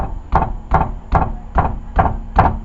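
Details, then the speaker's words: Lexus ES300 rear suspension, struts already done: worn trailing arm/rod joint rattles with six sharp knocks, about two a second, as the tire is bumped by hand; heard coming down the road, play on both sides. "So if I do this, anyway, this joint up in here is worn out, and you can hear it rattle when bumping the tire."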